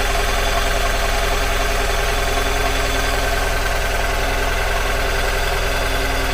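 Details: 2002 Mazda MX-5 Miata NB 1.8 at idle: steady low lumpy, shaking pulse about 2.5 beats per second, misfiring on two cylinders; unplugging the front coil changes nothing, and that coil reads 100° as if energized constantly, suspected ECU fault.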